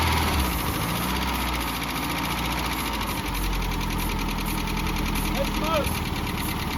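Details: 1988 Mazda B2200, carbureted, first start after 13 years sitting, with the carburetor fitted and ignition reconnected: loud, deep, lumpy idle rumble heavy in the low end. Loud exhaust; the muffler is blamed.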